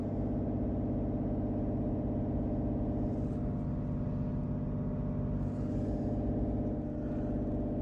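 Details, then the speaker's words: 2010 BMW E91 335d diesel at idle right after a full service with oil, air, fuel and cabin filter changes, run at idle to bleed the fuel system: smooth even low clatter, unchanging tone; normal diesel idle. "It's now telling me to start the car and run it at idle speed. Which we are now doing."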